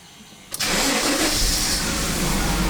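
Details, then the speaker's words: 1991 Daimler XJ40 with 220,000 km, sat unused for a couple of years with a dead battery: short crank, fires at once and settles into a steady, even idle; oil pressure comes up, only one warning light stays on, healthy start. "And fires right into life. No warning lights except that."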